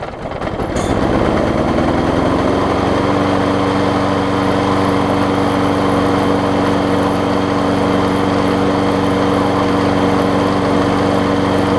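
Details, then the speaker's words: 5hp Briggs & Stratton engine just fitted to a 2014 Weed Eater push mower deck: pulls over, fires and settles within seconds into smooth even steady running, no misses; healthy. "It's probably got some oil to burn off from me just turning it around, turning it over and stuff. So crank it up, let it run, just to kind of burn that stuff off before we clean it up."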